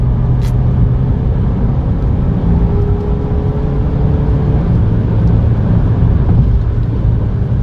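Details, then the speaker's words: Ford Fiesta 1.5 dual-clutch automatic after repair (clutch found worn out with heavy debris, failed at 95,000 km) on a road test: steady low engine drone, smooth pull, no clunks, shudder or grinding; stop-and-go vibration complaint not yet reproduced. "Yang jelas ini mantap sih. Suaranya."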